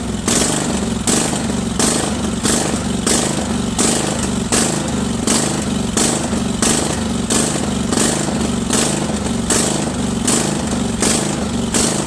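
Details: Craftsman 46" lawn tractor, Kohler Command 20.5 HP V-twin, choke off, before carburetor cleaning: engine speed rises and falls every three-quarters second, surging badly at all throttle speeds; dirty carburetor, fixed by cleaning.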